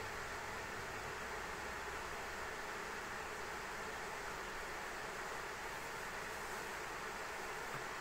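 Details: ASUS ROG Strix RTX 3090 in an XTIA case under benchmark load: steady loud rushing hiss, no rhythm or change; card fans fighting hot air blown onto the cooler by three radiator fans.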